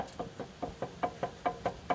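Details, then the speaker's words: Ford 390 engine with automatic transmission being installed: the torque converter, rocked by hand before the flywheel bolts are torqued, gives light hollow knocks about five a second. This is normal free play, as it must be loose going in. "That noise is that the torque converter is loose. The torque converter has to be loose all the way going in for the flywheel to be torqued."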